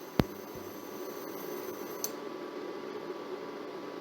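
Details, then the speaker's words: Germanica portable induction cooker set to hold 60°C, just reaching it from 56°C: faint high coil whine stops with a soft click about two seconds in as the coil cuts out, cycling on and off at either 120 W or 60°C. "and you could hear uh it cut out so it's either at 120 wat or 60° there's no way to tell but it is um turning itself on and off to maintain that power"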